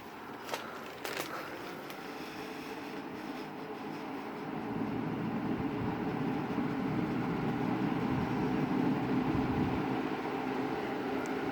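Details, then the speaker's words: Lakewood 20-inch box fan, model S223 second generation: soft steady airflow hush that builds and holds as speed steps up, no rubbing or ticking, quiet bearings apparently oiled at some point; normal running. "it sounds like it runs nice quietly the bearings on this are very nice - I think it was oiled at some time in its life"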